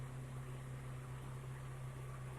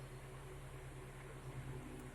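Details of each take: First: Car AC, gauge about 30 psi (20-40 psi when working): steady low hum with soft airy rush, no clicks or rattles; compressor and blower running normally. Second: Car AC blowing only air: engine running, AC on, manifold gauge needle not moving; steady low blower hum with no compressor kick-in; compressor not engaging.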